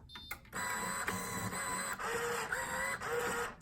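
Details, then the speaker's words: Coinco bill validator (BA/Mag/MagPro/BillPro series) powering up with a buzzy whirring motor and thin wavering squeal for about three seconds; abnormal start-up, bad drive motor needing repair. "Okay now if you start it up and it sounds like this, that's a bad drive motor, it's gonna need to be repaired."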